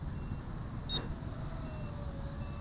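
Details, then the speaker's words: Kingkong Fly Egg 130 FPV quad with 1105 7000KV motors: short, high buzzer chirps about every 0.7 seconds over the motor whir, warning that the weak supplied battery is nearly flat. "I'm gonna start calling it quits I'm starting to believe that battery beep because it's beeping beeping non-stop now so let's bring it in"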